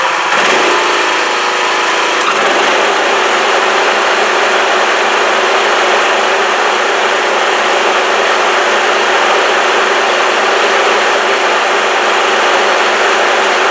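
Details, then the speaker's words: Riding lawn mower after repairing a broken deck pulley and refitting the belts, test run outside: steady even engine drone with blades spinning, no knock, squeal or rattle from the deck, earlier noise gone, little vibration. "all right so far so good okay guys let's going to wrap this one up I call that a success I don't I don't think it's vibrating too bad it feels pretty good I I don't hear that funny noise that I was hearing before"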